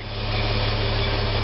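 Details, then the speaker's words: Restored 1969 Toyota Crown Super Deluxe, rebuilt clutch master and slave cylinders: even steady low idle rumble, smooth unchanging beat, no smoke, knocks or misses. Normal idle. "no smoke car run beautifully running now we can hear it running not one bit of smoke"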